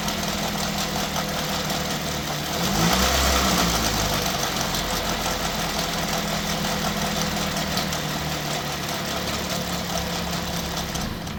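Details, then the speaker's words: 2005 Pontiac Vibe with the Toyota 1.8 engine at 250,000 miles and good compression, at idle with the belt off: steady light tapping about three a second; a timing component or actuator noise is suspected, not confirmed. "I don't know, guys. That sounds like a timing component to me."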